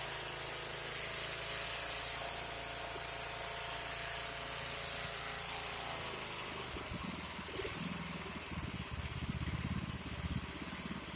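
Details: 36" Bunton walk-behind mower that would not start, after a carburetor clean and freeing a kinked throttle: the small engine holds a steady idle, then picks up with a rougher, louder note and keeps running without dying. It runs normally.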